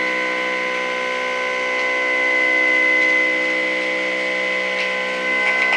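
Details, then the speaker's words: Small motor with brand-new bearings treated with Bishop's Original anti-friction lube, run on its side (more vibration heard): clean steady high whine with slight rise in pitch; speed reaches about 3,850 RPM. "You can hear it getting into that. Now these are brand new bearings. So it's not like they're old or something."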